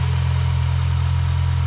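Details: 2005 Mini Cooper 1.6 after a new clutch: deep, steady idle with an even beat and no knocks, misses or hunting; heavy smoke was likely leftover oil burning off the exhaust and cleared after about 5 minutes; normal idle.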